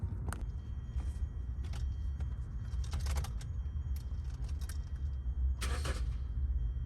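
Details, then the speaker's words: Hyundai Sonata after fuel pump replacement, which previously gave no pump hum: quiet, steady low rumble of the idling four-cylinder under key jingling and handling; runs smoothly and evenly, everything good now. "So that's it guys, have the car running, everything good now."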